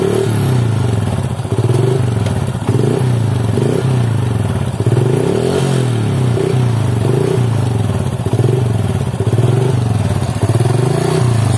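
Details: Motorcycle test run after cleaning sand from the magneto rotor and magnet, blamed for a rough noise at low rpm resembling misaligned ratio gears; even steady beat, low firm rumble, no rattle or scraping, engine healthy.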